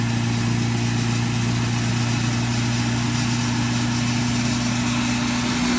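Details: K-swapped Miata on the dyno, VTC not working because the ECU gave no command; run after moving VTC to a different half-bridge ECU output: strong, steady, even drone without misses or knocks under load; normal running, reaching 235 whp.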